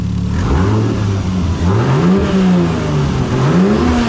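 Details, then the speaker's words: Toyota Supra with stock twin turbos, a new ETS 5" intercooler kit and a Tial blow-off valve. The engine revs and drops with a soft air rush on each lift-off, no high-pitched hiss. The blow-off valve vents normally. "it is working just doesn't have a high pitch it just blows off air and you don't hear much"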